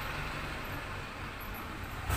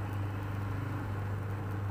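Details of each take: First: Polytron washing machine, motor runs but the pulsator stops when held: loud rough low rumble with rattle as the drive slips, very noisy; pulsator teeth found broken, unable to take the load. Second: Polytron washing machine, previously very noisy with pulsator not turning properly, tested after pulsator removed, reinstalled and bolt tightened; steady even low motor hum with no scraping or knocking, wash cycle now normal.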